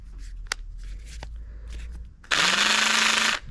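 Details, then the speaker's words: Impact driver only a couple of years old that wasn't working at all earlier: a short burst of running with a harsh, gritty rasp over a steady hum. Grinding inside, the tool is breaking. "this thing's breaking. It's not even that old. Hear that grinding noise in there? Wasn't working at all earlier."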